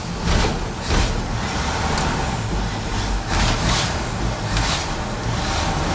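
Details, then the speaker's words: 1968 Chevy C10 V8 after Holley carb work (carb gasket had been sucking air, causing no idle) and distributor clamp refit: runs steadily with an even low rumble and a few mild swells, no knocks or misses; fuel spewing from the carb while warming up. "Well, she's running. Fuel spewing out of the carb, so that's a good sign for now. Let's let her warm up."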